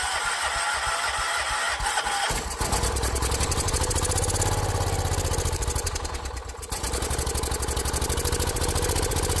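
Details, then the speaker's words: John Deere 314 garden tractor with rebuilt Kohler K321 single-cylinder, after running and warming up, old oil burning off with some smoke: thump catches and settles into a steady, even idle with a brief dip under load; sounds healthy. "Well, after it ran here for a little bit and warmed up, it looks like it burned all that old oil off. Still some smoking going on up here. Uh that was all pretty wet with oil, but sounded good."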